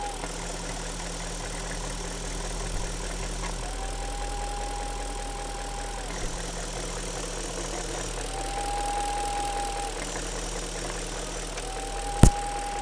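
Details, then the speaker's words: 1999 BMW 540i with M62TU engine at idle: a thin, intermittent whistle over a low rumble, seemingly near the manifold. It gets quieter when the back cap of the diaphragm is covered. A vacuum leak is suspected but not confirmed. "if you can hear this, but there's a definite whistle or some noise. Seems to be coming close from the manifold somewhere."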